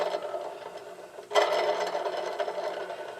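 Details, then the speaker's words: Scag mower, belt off, hand-spun idler pulley rocks loose and gives a dry, gritty rattling whir that swells with speed then fades; worn idler pulley bearing, pulley to be removed and bearing replaced. "that's the one with the bad bearing I should not be rocking loose that's the one with the bad bearing"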